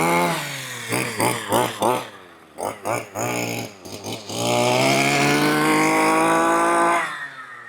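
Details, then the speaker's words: 1/5 scale petrol RC buggy, four-wheel-drive version, two-stroke warming up at quarter throttle after the low-end needle was richened because it was too lean to run; blips then a steady crisp buzz: clean, normal running. "Just quarter throttle, just got to warm it up. Sounds lovely, doesn't it? Oh, that sounds gorgeous."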